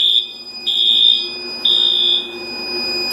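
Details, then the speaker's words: Arduino safety system on a 50 W Chinese laser engraver, test at 150 degrees: loud high-pitched siren blasts repeating about once a second; over-temperature fire alarm, which also shuts off the air compressor. "So right now I have it hit, so if it hits 150 degrees, then it will sound the outside alarm, and it will also make sure that the compressor is turned off."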